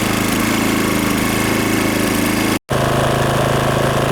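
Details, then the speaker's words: GTM DK3500i 3.3 kW inverter petrol generator, just started on first pull, cold, warming up for 5 minutes before load: quiet, steady, even idle hum with soft regular beat, no knocks; runs normally. "завівся як ви чуєте Він досить тихенько для такої потужності причому він в одному пошусі але працює тихо"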